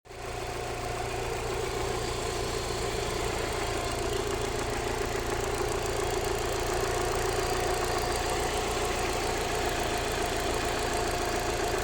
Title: Alfa Romeo 156 1.6TS ticking sound in the upper engine bay